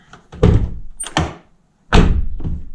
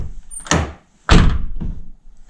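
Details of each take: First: 2009 Nissan R35 GTR driver door, after fix (door card refitted): two solid thunks dying away cleanly, no buzz or rattle; door now quiet. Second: 2009 Nissan R35 GTR driver door, before repair: two solid thuds each followed by a short buzzy rattle from the lock area; loose block/cover inside slapping the door skin, suspected security plate.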